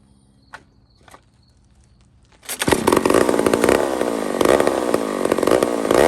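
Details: Old McCulloch 1-71 chainsaw after major carburetor upgrade with adapter: couple of starter pulls, fires and holds high steady buzz with light throttle flutter; runs strong and healthy.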